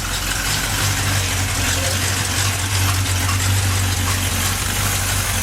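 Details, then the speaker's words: 283 small-block V8 for a 66 Chevy truck, first start on the engine stand on a chilly morning, primed to oil pressure: strong steady idle, even low burble, no knocks or misses; fired right up. "It's running. It fired right up too. I spun it over till it got oil pressure."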